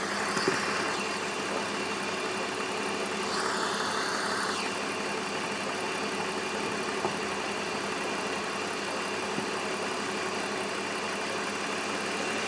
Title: Diesel like ticking noise BMW e46